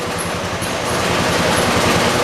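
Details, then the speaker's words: 1986 John Deere 216 lawn tractor, first cold start at about 50 degrees, about half throttle: steady thud that never climbs; doesn't throttle until half throttle, owner suspects carburetor adjustment; poor throttle response. "it runs cool it doesn't these colors don't have very good throttle response it if you didn't notice it doesn't throttle up as high as that 73 does"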